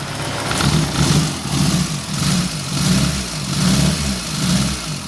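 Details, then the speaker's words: 1989 Suzuki Forsa with a badly misfiring engine, high fuel use and lost power, before repair; the ignition is to be checked. The idle rises and sags in a lumpy beat about every 0.75 s, stumbling like a dead cylinder. "Kita akan langsung belajar bareng servis pada mobil Suzuki Forza yang mengali permasalahan yang mesinnya berebet lur, Lur."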